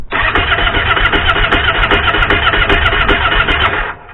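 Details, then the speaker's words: 2014 Kawasaki Brute Force 750 (KVF 750) with aftermarket Amazon ignition switch (neiman) lacking the resistor: starter churns steadily two to three beats a second for about four seconds and never catches; nothing happens. "Donc, rien ne se passe."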